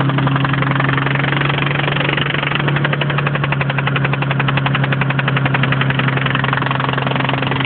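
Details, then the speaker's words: 1992 Mitsubishi VR-4, oil checked and full: a regular knock about four per second through a steady petrol idle. It came on after being driven a little hard on the highway. "He was just driving it a little bit hard uh before this sound came on. We're on the highway."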